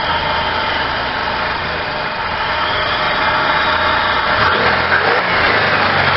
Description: This is my Supercharged 1999 Buick Regal GS, it had a rough Idle at cold start and an uneven Idle when warm. The problem was vacuum leaks due to bad lower injector o-rings that had hardened and a leaking throttle body gasket.